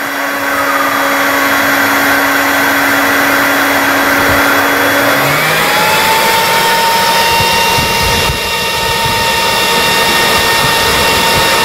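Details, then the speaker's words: Gecko G540 custom CNC controller system with a PWM AFC fan controller, temperature probe heated with a heat gun: a steady fan whir that sweeps up in pitch and holds higher, the normal temperature-driven fan speed-up. "the temperature is actually raised enough to increase the fan speed based on the voltage from pwm"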